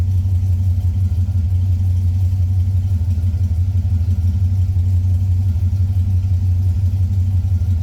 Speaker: All right, so when it first fires up, it's going to be a little lean because it's hot and heat soaked. but it'll quickly richen up. So here we go, we're lean and heat soaked.